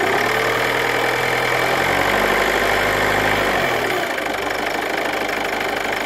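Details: Ford Kuga MK2 180PS petrol engine revved gently up to 1600 rpm with a busy metallic rattle riding over it, then settling back toward idle: engine rattle when revving.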